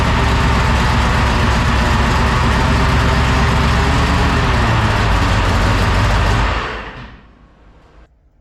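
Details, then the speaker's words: 1969 Ford F-100 460 V8, naturally aspirated first start: revs hard with steady whine over the roar, shut down after six seconds; loose header exhaust pipe found as possible contributor, cause unconfirmed. "One of my exhaust pipe coming off the headers there was totally loose. So, you know, that can make a decent amount of noise."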